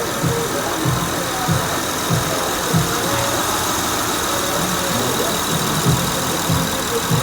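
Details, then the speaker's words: Honda Accord V6 (3.0 or 3.5) idling after its bad alternator was replaced with a new one: even idle with soft regular pulses, no flapping or rattling from the belt area, where the old alternator sounded like a flapping timing belt; normal idle. "So that right there, that's what the Honda with the bad alternator was sounding like, and this is what it sounded like afterwards with a new alternator."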